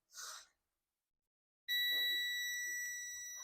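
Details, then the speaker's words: Dell Inspiron 15 3542 motherboard (Wistron Cedar 13269-1 FX3MC), won't power on; black probe on ground, red on the 19 V rail, steady continuity tone; rail shorted to ground. "so you can see put the black prob down and the red here on the 19 par the 19 parl is shuted to ground"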